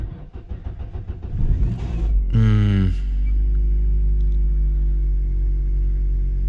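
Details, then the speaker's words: Uneven cranking at about four beats a second for two seconds, then it catches and idles, on a car collected from auction; the starter motor seems not to engage cleanly and sticks. Owner suspects the starter and may replace it. "let's try that again did sound a little bit s like the start mode was not quite engaging and sticking"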